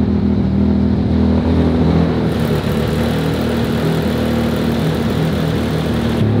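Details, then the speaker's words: Audi RS4 saloon, being investigated for smoke before dyno: after warm-start enrichment adjustment via coolant-temperature map, engine holds a steady, even fast warm idle without hunting or misfire, running noticeably smoother. "also gute Nachricht ist wie ihr hört läuft da schon deutlich schöner"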